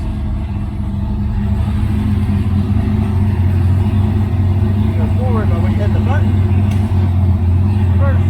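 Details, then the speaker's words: E46 M3 with transbrake, in first gear with transbrake button pressed after repairing a transbrake problem: engine holds a steady loaded drone without moving off; transbrake working as it should. "so trans break is working you can hear it down there just like it's supposed to so hopefully it'll last"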